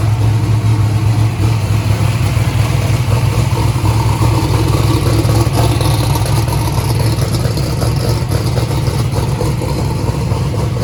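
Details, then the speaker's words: First start of a 427ci turbo Small Block Ford race engine (2,500 hp) with external oil pump, not yet warm, 82 psi oil pressure: loud deep V8 with lumpy uneven beat; dash shows cylinder three not sparking, loose spark plug wire found; cylinder misfire. "how long my numbers saying number three is not sparking what well number two was the problem previously"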